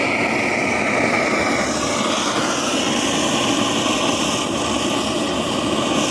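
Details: BRS-8 multifuel stove running on gas outdoors, after a makeshift tin part replaced the missing piece: steady, even hissing roar with no sputter or pulsing, a little wind in the background; burner running normally.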